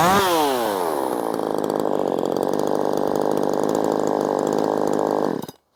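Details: Ported Poulan Pro 4620 chainsaw after retuning the carburetor low and high screws: it revs quickly to a crisp, steady high scream that holds clean without bogging, then shuts off. Tuned right, normal running.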